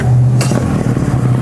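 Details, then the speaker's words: 1996 Force 50 hp two-stroke outboard on a Bayliner, after tune-up (new plugs, fuel filter, starter, impeller); it used to run then stall: steady, even low buzz with no misses or knocks; runs cleanly. "runs really nice here I shut off the engine I'm going to restart it"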